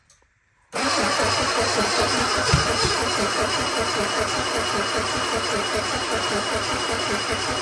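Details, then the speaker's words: Sunbeam Alpine 1725 engine on a start attempt with starting fluid: catches and runs rough and uneven, with one low backfire thump. Timing suspected, so a timing adjustment is being made. "Low backfire, that's okay. Might be timing, so we're gonna make a quick timing adjustment here."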